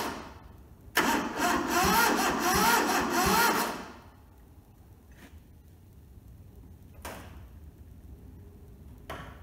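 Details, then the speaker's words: Toyota SDK4 skid steer diesel on jump leads: starter churns unevenly about three seconds, nearly catching but never firing, then stops; owner thinks the battery is getting flat; weak cranking, no start. "I think the battery's starting to get a bit flat, so I'm not just sure how I'm going to go over that yet."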